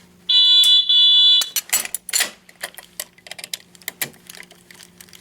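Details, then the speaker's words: Alertek i8005 fire alarm panel in walk test mode, pull station opened: loud high-pitched alarm tone in a short burst of two pulses, then clicks; expected zone two walk-test signal. "two pulses for zone two which is expected"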